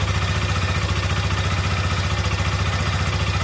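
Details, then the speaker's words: Hero XRM 125 single at a fast idle with some revving, firing evenly for now. The complaint is that it dies soon after starting; the title names an oil pump problem. "வண்டி start பண்ணாவே கொஞ்ச நேரத்துல dub பண்ண வண்டி of ஆகும்."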